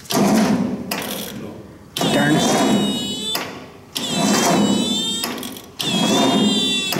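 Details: 1953 Ford Golden Jubilee tractor, three cranking attempts about two seconds each, sluggish dragging cranking that never catches; not turning over enough.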